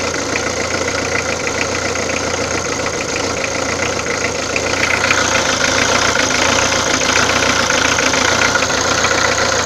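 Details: Peugeot diesel idling with a sharp, fairly regular ticking clatter over the engine note, about three or four a second; abnormal engine noise, source unclear.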